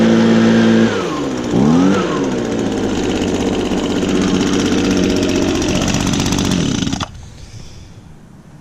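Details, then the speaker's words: Echo handheld leaf blower, used recently, started on choke with primes: catches at once, revs up and down, then holds a clean, even two-stroke buzz before shutting off; normal start and run. "and just as I predicted started right up just because it was just used recently"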